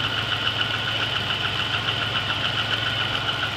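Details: GM 3800 V6 with 237,000 miles, noise began the night before: steady quick ticking about three or four a second over an even idle. Valvetrain tick; owner suspects a collapsed lifter, unconfirmed.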